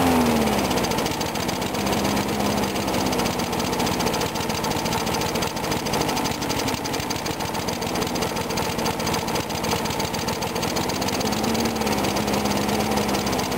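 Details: Briggs & Stratton mower engine cold-started at 35°F after long sitting, water suspected in the gas; started first pull. Settles from start into steady, fast, even putter with no stumbling; normal running.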